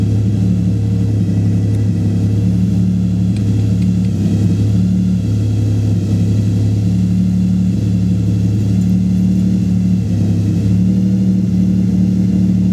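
Low droning hum over a steady engine, a deep tone that swells and fades every couple of seconds; something's off, cause unclear.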